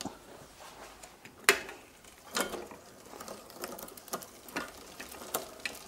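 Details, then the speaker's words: Bicycle rear derailleur after adjusting the low limit screw, chain on the big sprocket: light, even chain ticking and freewheel clicks, no catching on the spokes or scraping; drivetrain running smoothly, normal. "that's running nice and smoothly we can move to the higher limit"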